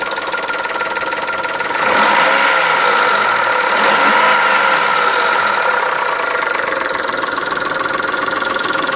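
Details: Chrysler Stratus/Cirrus engine after a timing belt change, running under throttle while accelerating, with a light regular ticking of about three to four per second; source unconfirmed.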